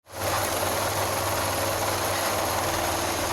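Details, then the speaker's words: Rooftop HVAC unit: loud steady roaring rush over a low droning hum with no clean fan note; the condenser fan blades have ripped themselves apart. "so in case you're wondering what that uh noise was yeah the fan blades ripped themselves apart on this side that's pretty bad"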